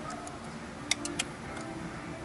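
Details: Car with a faulty aftermarket alarm/radio install, fuse 6 (cartridge fuse) reinserted while measuring parasitic drain: three sharp light ticks within half a second over quiet hiss as modules power up, after which the meter shows a draw; suspected short in the install.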